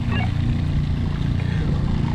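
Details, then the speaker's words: RV Shurflo diaphragm water pump after a pressure-switch adjustment: low steady drone keeps running about seven seconds after the kitchen cold tap is shut, instead of cutting out at pressure, though pressure seems good; cause unclear. "Well, that one gave it a 7. I don't know what's going on."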